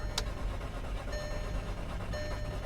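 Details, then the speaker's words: Salvage 2007 VW Passat, 83,000 miles, at auction lot: two short bursts of brisk cranking that never catches; crank no start, owner suspects fuel pump or lack of gas. "listen to this guys it's trying to start there it goes no I'm not gonna strain or stress the starter"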